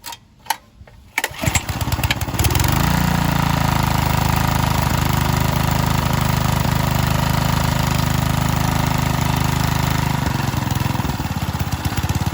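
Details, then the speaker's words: Power Trim edger with a Briggs & Stratton 3.5 hp L-head, after a newer-style carb/tank swap, a new cylinder head and gasket, and a linkage fix. A couple of pulls, then a steady, even low putter with no misses. Running healthy. "yeah so it starts so in total uh because the carb was bad i changed it to the newer version"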